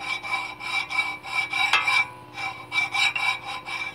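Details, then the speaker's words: Metal-on-metal grinding from brake pads worn through to the backing, scraping the rotor; harsh rasping scrape pulsing about twice a second with each wheel turn. Fix: new rotor and new pads, after which the noise is gone. "fíjense el ruido que ocasionan cuando ya no tienes la bala está o sea la pasta hay le admiren escuchan el ruido pe a tensión"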